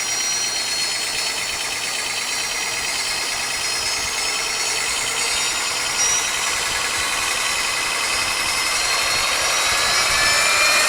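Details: Rebuilt hub motor at 89 V, wheel slightly out of true: smooth steady high-pitched hum with even air rush, no whine; previous whining on revving gone, quiet like new.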